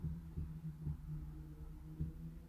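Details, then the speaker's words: 1974 Honda Civic Mk1 before starting: low, dull knocking pulses of about three or four a second over a hum as the fuel pump primes and builds pressure. This is normal. "like a knocking noise that's a pump building pressure so now i have a pump"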